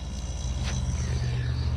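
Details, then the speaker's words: Camper refrigerator/freezer compressor after fitting a combined relay and power start unit (120 V, 1/4–3/4 hp), bypassing the capacitor; previously ran a few seconds and quit: low, steady hum, compressor starts and stays running normally. "You hear it come on? And it's staying running."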